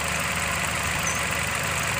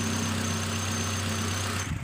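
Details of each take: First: Nissan X-Trail petrol engine idling unevenly with a recurring stumble and shake, heard at the exhaust, check engine light on; misfire from iridium spark plugs past their service life, cured by replacing them. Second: Nissan X-Trail T31 2.5 petrol with CVT after replacing worn iridium spark plugs: steady, even low hum at idle with no stumbles, coughs or shaking; misfire and vibration gone.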